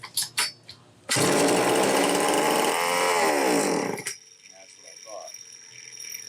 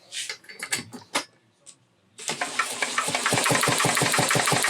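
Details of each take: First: Homelite XL-903 chainsaw after carburetor work, test run: fires and screams at one steady high pitch for about three seconds then dies; runs only on full choke with no throttle response, fuel filter partly out of the fuel. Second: Homelite XL-903 chainsaw with a good used ignition coil fitted, spun by a DeWalt drill below 2,500–3,200 rpm: crisp regular pops about six a second; firing consistently at low speed, the old coil weak, a condenser swap had made no difference.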